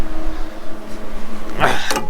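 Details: John Deere 6170M tractor diesel after engine rebuild: steady, even drone with clean low hum and no knocks or misses; healthy running, one code from a broken sensor remains.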